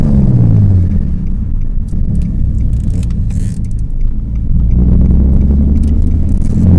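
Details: 2003 Nissan 350Z, 3.5L naturally aspirated V6, possibly with the CD001 manual transmission, on a short drive: engine rumble dips and rises through a shift with a gritty scrape going into third gear. Worn third-gear synchro grind, a known issue with this transmission.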